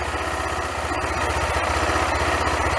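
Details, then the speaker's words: Bike named Gina: even, steady idle thump with a clean regular beat and no misses or knocks. Owner says the engine runs perfectly with no faults; normal idle. "आप देख और सुन सकते हैं कि इंजन एकदम सही चल रहा है, और पूरी मशीन में कोई खराबी नहीं है, जैसा कि जर्मन में कहते हैं।"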